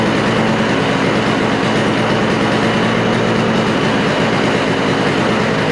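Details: Toro snowblower with Briggs & Stratton R-Tek engine after refurbishing, idle possibly not set right: steady, even buzz holds without stumbling or surging; the engine is running cleanly.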